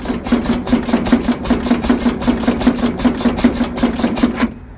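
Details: Abandoned VW Beetle Baja Bug race car left sitting for years, timing checked at number one: quick even starter chugging about four or five compressions a second, no firing; crank-no-start, possibly weak coil suspected.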